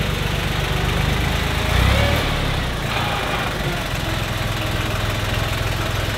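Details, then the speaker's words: John Deere 1050 tractor (Yanmar 3T90T three-cylinder diesel), running after repair for coolant in the oil and with the injection lines bled, warming up. A smooth, even low idle thump with no knocks or misses and no injection-line leaks sounds healthy; the alternator is not charging (12.9 V). "well definitely sounds good no leak on the injection lines"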